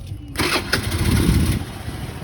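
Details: Benelli Panarea 125 scooter after reconnecting a loose fuel pump connection: short crank, then the engine catches cleanly and settles into a low, even idle; starts normally after repair.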